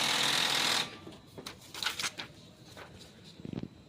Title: RICOH IM C2000 Grinding sound when printing #shorts #youtubeshorts #viral